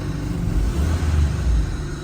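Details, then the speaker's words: Honda Civic with air conditioning on, at idle after throttle blip: deep, low rumble that sags and labours; idle drop from idle air control valve, idle screw adjusted to compensate for AC, plan to refit original valve and readjust. "may adjustment pala kami sa ICV ginawa namin in-adjust ko 'yung idle screw ng IACV para i-compensate 'yung kanyang aircon"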